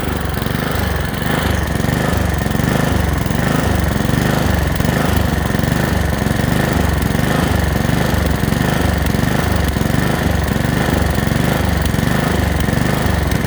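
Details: Honda HRX217 mower, before repair: engine speed swells and sags rhythmically, idle hunting/surging; fixed by cleaning the carburetor.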